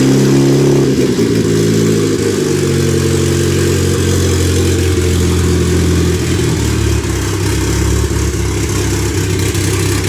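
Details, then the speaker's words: Freshly rebuilt turbo 1996 Honda Accord CD5; tune first suspected, vacuum leaks checked. Idle keeps sagging and wavering and stays alive only with the foot on the gas. Rough idle. "it won't stay idling so I just have to keep my foot on the gas to keep it running"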